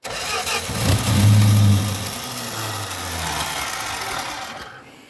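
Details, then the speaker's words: 1965 Dodge Dart with MSD 6AL ignition: engine spins on the starter a couple of seconds but never runs, not drawing fuel; Edelbrock electric fuel pump not heard running, later found dead despite 12 V. "still not drawing gas into the fuel thing you like you said I think the freaking fuel pump is off I don't hear it either"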